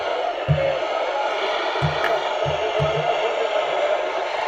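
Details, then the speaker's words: Refurbished Philips P3G38T all-transistor car portable radio, transistors thought to have been zapped during refurbishment, on medium wave: a steady hiss with a faint distant station drifting in and a few low thumps, so it is pulling in weak DX normally. "So there's a bit of DX there."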